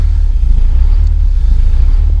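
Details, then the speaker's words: 853 diesel on its first start in almost 2 years, cold block at 24°: heavy, slow thumping that sags to about 400 rpm when the pedal is released. It holds 600 with the foot on, the spec is around 600, and oil pressure reads 60–80. Idle is set too low and the pedal linkage needs adjusting. "let go of it yeah see it's got the idle set all the way it's going all the way down to 400 so we need to fix"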